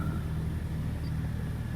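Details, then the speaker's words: Toyota Innova automatic, cold start with temperature gauge not yet risen: steady, even hum held above normal idle, rpm still high and not yet dropping; ordinary cold fast idle while warming. "ya, ini mesin sudah menyala dalam kondisi dingin, lihat tuh ya, ampere pengukur suhunya masih di bawah derajat Celcius ya, belum naik ya, berarti mobil ini memang masih dingin. Oke, RPM nya juga masih tinggi, belum turun."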